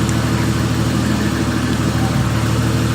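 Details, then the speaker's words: Toyota Mark III Supra, previously running rich with suspected misfire, after spark plugs regapped to 0.030: even, smooth idle with steady low beat, no misses, pops or stumbles; the earlier hiccup is gone, normal idle. "I took it apart today and I gapped the spark plugs to 0.030 and it's running perfectly fine. It's not doing that little hiccup thing it was doing yesterday."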